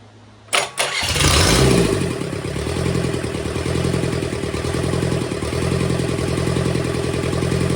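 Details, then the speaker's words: Rebuilt burnt, formerly seized Kubota V2203 diesel from a Bobcat 7753, started again: a brief crank, then it catches and settles into an even, fast diesel clatter at a steady idle; runs normally, with some injector leaks and valves still to adjust. "we have life do have a couple leaks at these injectors I got to take care of"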